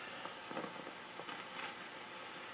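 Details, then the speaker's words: Realistic STA-2500 receiver: constant hiss with random crackling, fizzing and popping bursts in the audio, noise also seen on scoped IC pin 4; silver mica or ceramic tubular capacitors inside coil/transformer cans suspected, not confirmed. "it sounds like silver Mica disease that's why I suspect it's a cap somewhere somewhere in this circuit here"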